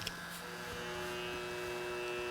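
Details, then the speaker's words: Andis Styliner/M3 US trimmer after zero-gapping the blade, run in the UK via 60 Hz frequency converter: steady mains buzz with clean high tone, no rattle or chatter; no noise or performance issues. "As you can hear, there's no noise or performance issues there."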